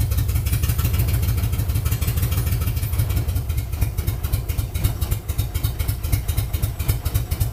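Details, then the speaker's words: LS-swapped 1965 Chevrolet C-10 with drive-by-wire throttle, first start in winter: deep, steady low V8 rumble with slightly loping beat, no knocks or ticks. Normal running. "Well, what do you know? It runs. Pretty damn cool."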